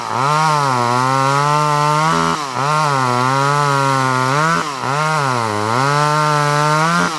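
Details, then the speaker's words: Vintage Poulan 1800 Woodsman chainsaw, sharp chain, original 12-inch bar, cutting wood: screams at high revs, pitch sags about every two seconds as it bites, then recovers cleanly; normal running and cutting. "A very nice vintage saw that starts no issues. We're going to fire it up right now and let you see how this one runs and cuts."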